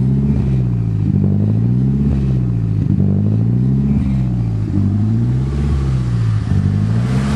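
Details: Freshly swapped Nissan SR20DET turbo engine, running hot, timing set to 15 degrees: idle hunts and surges every second or two, lumpy and uneven; CAS ruled out, the cause proved to be the ignition timing.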